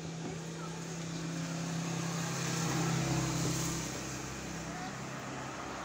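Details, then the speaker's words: Washing machine wash motor that only hummed, after oiling and cleaning its shaft, run on its own cord: steady strong low electric hum with outdoor noise behind; now running properly before reverse test. "Yun, ang lakas. So i-reverse natin. Titingnan natin kung kaya niya mag-reverse."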